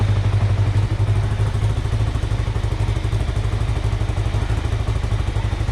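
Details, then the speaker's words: 2005 Kawasaki Ninja 500R revived after 10 years of sitting, carbs rebuilt, choke off, idle set near 1300: a low, even thump holds steady with a light buzz from the body panels; normal, healthy idle. "It's clear that it needs to run a little bit, but it sounds pretty good. I can hear the body panels vibrating, but overall it sounds healthy."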